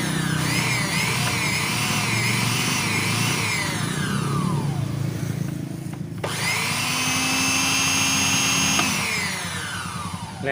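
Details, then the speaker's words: Wongdec turbo-power blender after repair of a stiff, seized blade shaft (oiled, ring and gear refitted): strong high-pitched whir spinning up and winding down smoothly twice, no grinding or rattle; runs healthy. "สุดยอดเลยพลังTurboremapมีพลังเทอร์โบนะครับ"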